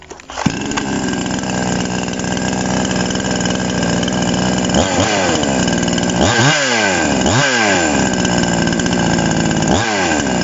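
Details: TOMITSU 5800-body chainsaw, sprocket version, revving on review at dusk, no load: steady fast idle, then four or five sharp throttle blips rising and falling cleanly; it revs freely without stumbling, normal free revving.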